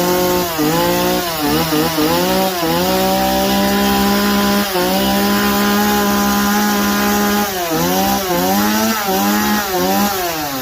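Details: Stihl MS 180 chainsaw after carburetor replacement, running on fresh gas. Crisp, steady high revs while cutting, dipping briefly into each pass and recovering cleanly. Normal cutting under load.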